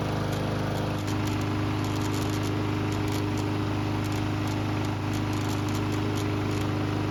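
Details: Barn-stored, neglected lawnmower on non-ethanol 89 octane fuel with stabilizer, run several minutes until hot: steady, even single-cylinder drone at constant speed, no misses, surging or knocks; healthy after repair.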